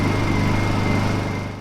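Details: Honda 2000 W inverter generator with a no-start, running on choke after its gummed-up carburetor was cleaned: the small engine holds a steady, even buzzing hum with no misses or surging, then fades; running smoothly.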